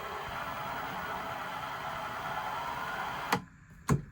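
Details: Milling machine drilling brass for a Mamod loco steam manifold: steady motor whir under load drops away suddenly after three seconds with a couple of sharp clicks; the controller is cutting the motor.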